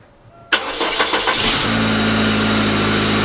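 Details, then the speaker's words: 1999 Pontiac Grand Am, rebuilt GM LD9 2.4 Quad 4, first start-up after rebuild: engine cranks and catches, then harsh gritty grinding over steady idle from the belt side, the failing AC compressor clutch on the serpentine belt. "all right let's let's see if she'll fire up here so so so this other ac compressor clutch making some noise"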